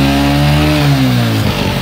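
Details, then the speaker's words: Old-model Hero Honda Passion Xpro motorcycle, started after fitting an HT coil: steady even engine note with a smooth rev blip, no misses or knocks; running properly. "এই বন্ধু, start করে ফেলেছি, এই গাড়ি start হয়ে গেছে।"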